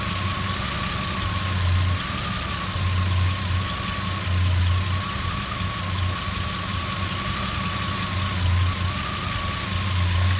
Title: Jeep Comanche 4.7L Stroker Rough Idle